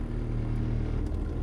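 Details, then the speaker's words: 2011 Toyota Sienna front blower motor, under the dash, with the AC on: a low, steady throbbing rumble that continues at higher fan speed. The out-of-balance blower sometimes shuts off but still blows cold air. "You can hear it it's making that terrible noise. Sometimes it will even shut off. It's still blowing cold air, but again, it's making that noise. Sometimes what happens is the blower motor gets out of balance"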